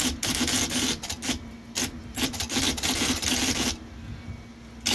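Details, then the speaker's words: IBM Selectric 1 typewriter with a new hub, after its stiff, sticky keyboard was flushed and oiled (ball bearing compensator tube): crisp, clean single key strikes in quick bursts with no doubling. Normal typing, keyboard now free. "But this keyboard is really sticky, but it's feeling really good now. No more doubling, striking."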